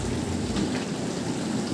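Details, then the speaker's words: Bosch SRV43M43RU/01 (type SD13JT1B) dishwasher after restoring the recirculation pump impeller (was humming, not draining): even, steady water swish in the tub with no hum, rattle or pulsing; wash pump running normally. "по опыту вроде как [музыка] нормально оп чуть-чуть сдвинулась Но работает всё"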